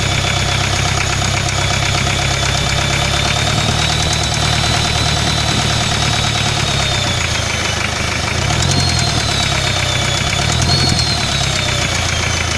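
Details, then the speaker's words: Hyundai 2.5 diesel at idle: no knock when cold, but a light knock like a valve with excess clearance develops as it warms; oil pan removal found spun bearing shells on the No. 3 connecting rod, blamed on the turbo. "начинается появляться легкий стук как будто стучит клапан с увеличенным зазором"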